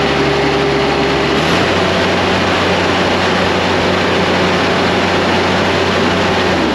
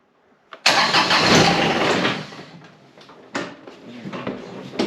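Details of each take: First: John Deere X758 diesel after an air and fuel filter change: an even diesel chug at idle, then the revs fall away near the end. No stumbling or misfire; a normal, healthy idle. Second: John Deere X758 diesel after an air and fuel filter change: it catches briefly, roars, then fades, followed by short cranking bursts that never settle: a hard start.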